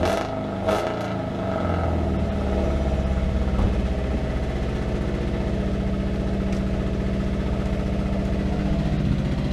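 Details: Honda Civic EP3 Type R: engine catches and runs lumpy with an uneven stumble at low idle; one cylinder dead.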